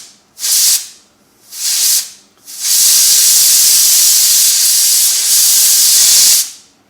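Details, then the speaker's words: Stovetop pressure cooker after cooking tomato sauce, heat off: two short hisses, then a long steady rush of steam tapering to quiet; a normal manual pressure release through the valve. "just make sure there's no gas or heat underneath this you just let that steam come out"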